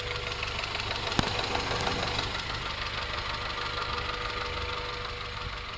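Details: 1994 Acura Integra GSR at quiet idle: quick light tapping about three per second; owner unsure whether rod knock, exhaust leak or valve lash.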